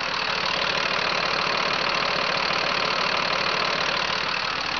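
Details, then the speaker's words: 2006 Freightliner M2 box truck, Mercedes diesel, 6-speed, mic close to engine: steady even diesel clatter, no misses, knocks or uneven beats; healthy idle, no blow-by. "Very, very nice, smooth running engine."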